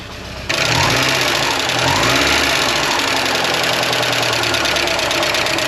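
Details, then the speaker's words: 1985.5 Porsche 944 non-turbo, long unused, first start after replacing both reference sensors and clearing a flooded condition: it catches into a busy, rough idle, maybe not on all cylinders, with light fast uneven ticking; good oil pressure; owner suspects lifters not yet pumped up. "It might just take a while for those lifters to pump up. She hasn't been running in quite a while."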